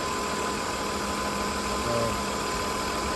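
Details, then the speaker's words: 2002 Ford Escape with low, erratic, rough idle and lean condition, warm at about 200 degrees, new EGR fitted; steady soft hiss over an even idle; suspected vacuum leak toward the back, not yet confirmed. "sounds like I can hear a vacuum sounds like it's coming from back there maybe all right I might look into that"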